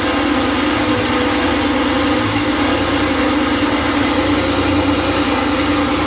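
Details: Freshly rebuilt Porsche 911 air-cooled 3.0SC engine built to 3.2 specs, on a test stand, completely cold after sitting overnight, just started: even, steady idle with constant hum, no knocks, misses or tapping; healthy.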